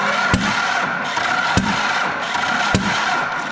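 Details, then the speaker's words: 12-valve Cummins diesel cranking on a weak battery: sharp backfire bangs come roughly every second over a steady cranking drone. Valve covers were pulled afterwards and bent pushrods were found, attributed to a segmented camshaft with a broken dowel. "let's see if it's gonna do it is this gonna do it you hear that backfiring noise that's a bad noise"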